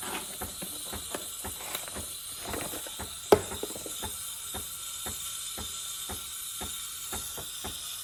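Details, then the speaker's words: Breville espresso machine steam wand turned on with water in the tank: soft, steady steam hiss with scattered light clicks and one sharp tap, the clicking noise the owner pointed out earlier; the steam wand is flowing normally. "there's water in there pick up some water in here turn on the steamer here's the tool for it"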